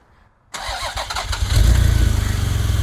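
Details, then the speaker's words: Toyota MR2 after V6 engine swap, first start in about 2.5 months with fresh clean oil: engine cranks and catches unevenly, stumbling about a second before settling to steady low idle; hesitant start, suspected vacuum leak, clears itself up. "Oh, it's hesitating. Vacuum leak somewhere."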